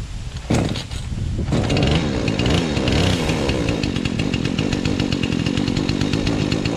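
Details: Saw started with choke, chain a little loose: catches and settles into a steady, even buzz with no misses or rattles; running normally.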